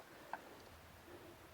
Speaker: Hear that tap noise? That's what you want. That means the blocks hitting the wheel flat.